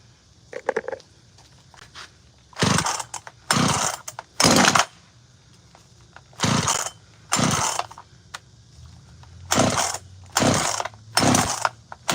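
Small two-stroke saw blipping in short sharp revving bursts with quiet idle between, picking up cleanly each time; runs fine.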